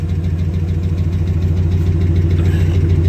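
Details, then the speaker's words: 2009 Dodge Ram Sport 5.7 Hemi after a fuel pump replacement for a no-start, left running with no leaks seen: a deep, steady V8 idle, even and smooth, with no knocks, misses or hunting. Normal idle. "We'll let it run for a while. Sound good to my ears."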